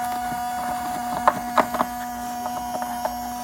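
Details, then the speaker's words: Mercedes 500E W124 with lights on: the driver's-side headlight wiper motor gives a faint steady electric hum with scattered light clicks, trying to run instead of staying parked; the passenger side is quiet, and the cause has not been investigated. "if you look at the lights being on as you can hear something is on on this headlight"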